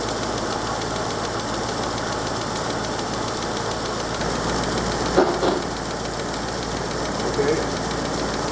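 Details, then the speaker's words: 1938 Chrysler Imperial straight-eight, parked for decades, now revived, running on partial choke: steady, even idle with soft exhaust burble, no knocks or misses; healthy. "let's shut it off it runs so good it's it's anticlimactic I can open the choke a bit more actually"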